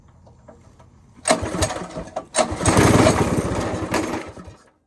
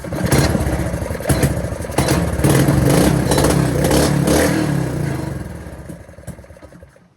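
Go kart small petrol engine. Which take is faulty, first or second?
first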